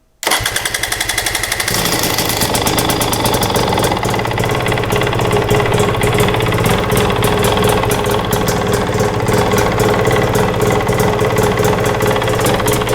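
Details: 2022 Husqvarna TE250i two-stroke, 157 hours, first start after top end rebuild with fuel lines likely empty: fires after a few cranks and settles into a crisp, even idle with no knocks or rattles, healthy.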